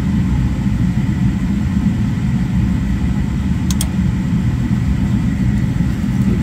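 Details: Gas furnace that was blowing cold air, after resetting the L160 (160°F) limit switch and pressing the door switch: even steady low roar of burner and blower, no clicks or rattles; furnace running normally, switch to be replaced.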